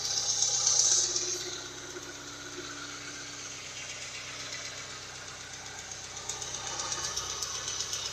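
Quiet idle with a faint, light tick around four per second over a steady hiss; the source of the ticking is unclear.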